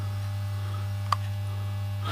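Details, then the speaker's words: Pye G73 valve radiogram on a mocked-up power supply: a loud, steady low hum with a higher buzz on top; it is still humming and not happy, and the owner suspects the field is the wrong way round. "Hang on a minute, we might have an issue here. It's still humming, but this isn't too happy."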